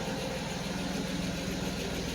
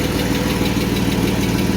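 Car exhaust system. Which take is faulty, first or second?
second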